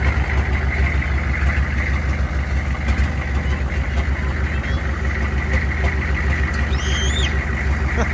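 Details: 2000 Chevrolet C3500 4x4 turbocharged 6.5 L diesel farm-find repo truck, first run, no coolant yet: steady low diesel rumble with even idle beat, no misses or knocks; engine running normally.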